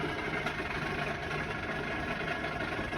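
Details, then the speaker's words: Fujitsu ducted air conditioner not heating, indoor fan motor in roof space: uneven rumbling whoosh with rough churning note; unit run without a filter, technician suspects blocked coil and overworked fan motor failing. Rough-running indoor fan motor, unconfirmed. "so so bad what all things happened is they don't have a filter they're running without a filter I dare say that the coil is absolutely blocked fan motor's running over time and then something's gone wrong with it"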